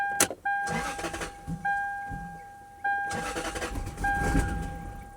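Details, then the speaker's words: 1996 or 1997 Lexus LS400 parked ten years, cranked with accelerator pressed: repeated cranking bursts over a steady chime, brief pop as revs rise, then it instantly dies each time; fuel pressure not suspected, owner suspects engine computer or ignition module. "And you can hear when I fire it up how the revs go up. It it it it revs up. It's not like it's a lack of fuel pressure."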